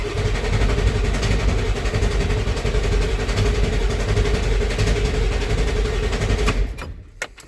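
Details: 1994.5 Ford F-350 7.3 Powerstroke after installing 160/00 injectors and a new intake, cold Alaska winter: starter whirs with a steady chug near four beats a second without firing; air in the cylinder-head oil and fuel, oil rails not pre-filled.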